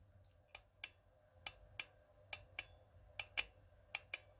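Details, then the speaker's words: Mercedes S320 W220 V6, EGR system checked for code P0401 with an old hose found damaged: the EGR vacuum solenoid, which holds vacuum, gives crisp sharp clicks about twice a second when commanded. Normal solenoid switching; the EGR valve also tests good. "You should hear that click."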